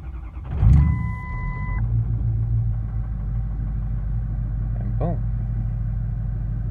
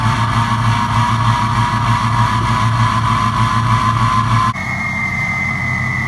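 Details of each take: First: 6.0 Powerstroke diesel just after replacing the missing No. 1 passenger-side injector, low oil pressure watched at start. It catches after a brief crank and settles into a steady, even low rumble with no lope: normal diesel idle. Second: Ford 6.0 Powerstroke diesel with 4-to-6-inch exhaust, before injector replacement: idle with an uneven lope and regular dropped beat; number 1 injector on the passenger side missing, throwing a cylinder contribution/balance code.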